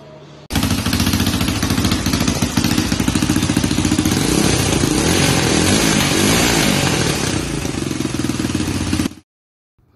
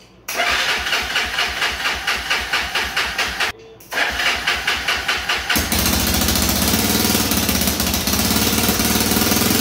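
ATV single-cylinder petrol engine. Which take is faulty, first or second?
second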